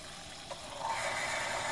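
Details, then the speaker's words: Shallow-well pump in Florida, unused for a year and run on solar power, restarting after the tank filled to about 50 psi and the spigot was reopened: quiet, then a rising hiss and whine settling to a steady run. It needed no priming; normal start. "and nice and easy nice easy setup we'll open it up and and hear that pump kick on again just to be sure"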